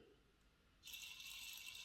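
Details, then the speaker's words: Triang Class 31 diesel model locomotive motor and gears run after refitting wheels and adding gear oil; light high-pitched even whirr with no clunks or catching; sounds quite good, motor working. "it's a question of how loud is it how smooth is it let's see it sounds quite good"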